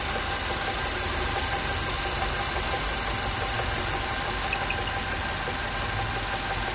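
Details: 1.8 TSI engine at idle: a light, uneven tapping stays constant over a steady idle; an internal knock, possibly the piston, with the exact source unconfirmed.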